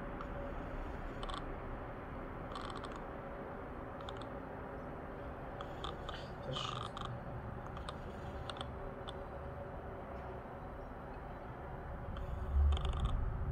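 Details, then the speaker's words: Heavy Art lens on a camera while recording video: quiet room with short, irregular bursts of rattly whirring as the focus motor hunts; noisy, rattling autofocus motor. "И сейчас посмотрим, как он на видео шумит. Так, врубаем видео. Ну, конечно же, он очень шумит."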